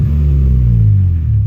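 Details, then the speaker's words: 1995 Honda Accord, manual, after fixing the oxygen sensor connectors that caused idle surging and stalling in neutral: engine settles from a rev into a steady low idle without dipping or stumbling. "that idle would just want to die right there I'm just like start collapsing but she's back to normal she's good"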